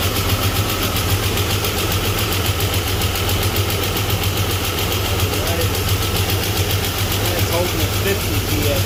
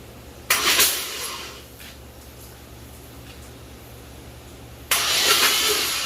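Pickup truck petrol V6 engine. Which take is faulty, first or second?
second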